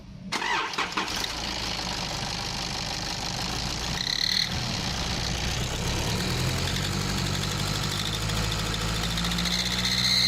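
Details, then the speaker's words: Nissan Patrol ZD30 diesel, noise when accelerating parked or under load: idle, then an extremely loud piercing whistle climbing in pitch with each rev, traced to an exhaust manifold leak. "now as you could hear there that was a very distinctive noise it was actually Extremely Loud I had to turn the volume down when editing it so it wouldn't pierce your brain while you're listening to it"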